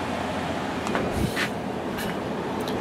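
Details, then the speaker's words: Samsung 6,300 BTU window air conditioner on fan only, high speed at 0.66 A, then switched to low. Even air rush and a low steady drone with no grinding or squeal; the blower runs normally. "I got it running on fan only right now on high speed. We are using 0.66 amps on high. Put it on the low."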